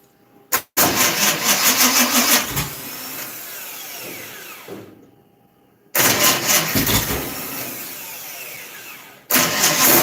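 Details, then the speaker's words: Dirt track race car, hot, timing being adjusted: two short ragged cranking bursts that drag and stall; tired junkyard rebuilt starter motor likely needing replacement. "Might need a new starter, dude. Well, this starter is a junkyard special that's been rebuilt 35,000 times. Sounds like you need another starter."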